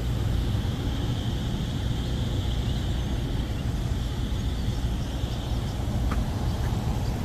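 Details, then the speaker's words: Rooftop AC unit with no cooling after a storm, running again: steady even low rumble with constant fan hiss, no cycling, rattles or knocks. A tripped pressure switch was the cause. Normal running. "Yep, everything kicking on, fan kicking on."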